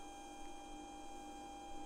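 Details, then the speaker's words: Labists ET4 3D printer during its first run after assembly: a steady, fairly high whine with a low hum underneath, described as an extremely loud racket. The cause is unclear. "I couldn't listen to this absolute racket it's so loud"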